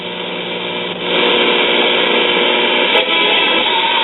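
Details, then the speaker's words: 1956 RCA 6-X-5 five-tube AM radio after a broken printed-circuit trace was bridged with wire, warmed up: clear, steady music with no crackle, hum or dropouts; normal playback. "We have that trace bridged out, waiting on the set to warm up. That sounds a lot better already."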